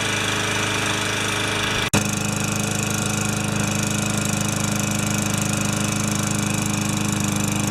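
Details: Older Yard Machines mower with a Tecumseh engine, found with no maintenance and no oil, after a full carb clean and repair: after a brief dropout it settles into a steady, even buzzing beat. It is running properly.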